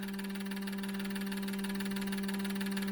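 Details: Injector cleaner running injectors from a 2002 6.0L drive-by-cable LS V8 being prepped: steady pump hum with rapid, even injector clicking, no surging or stutter, normal.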